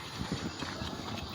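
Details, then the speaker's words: Toyota Vios idling in neutral: loose, uneven clatter that gets loud at raised rpm and stays noisy after a gear oil change, but disappears when the clutch pedal is pressed; worn clutch disc/lining, not yet slipping much, due for replacement. "Pag naka-menor malakas ang halog oh. Maingay agag nakaRPM yan chinik ng gear owel maingay pa rin."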